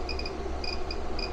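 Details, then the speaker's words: REDODO 2000W 12.8V pure sine inverter at 1172 W, 110 V AC, about 60% load, battery 12.9 V: short high chirps in quick clusters over a low steady hum; alarm stops when AC unit turned off; cause unknown. "I'm not sure why it's making this chirping noise so let's turn the AC off"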